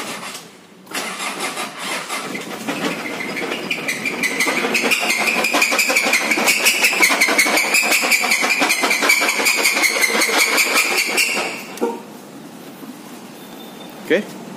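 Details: Mitsubishi Pajero with the 4D56 SOHC diesel starts and runs with loud, rapid metallic knocking throughout; teardown found a damaged connecting rod bearing, typically from skipped oil changes or poor-quality oil.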